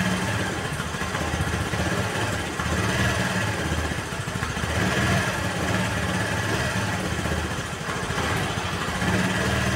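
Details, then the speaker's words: Honda Vario 110 (KVB) carbureted scooter after carburetor refit and left air screw adjustment: steady low idle without surging; previously idle hunted up and down. Choke also faulty. Normal idle. "tuh ya perhatikan dia langsamnya lebih stabil kan ya langsamnya lebih stabil karena dari setelan yang di sini itu belum gak pas"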